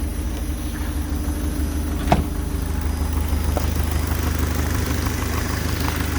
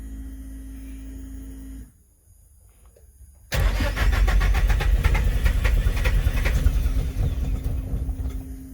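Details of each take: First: Speeduino-tuned engine warming up at idle after correcting badly off ignition timing: low, steady, even idle with no sharp knock. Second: Car: starter spins steadily for several seconds, engine coughing but not catching; ignition timing well off, fixed by adjusting the trigger angle.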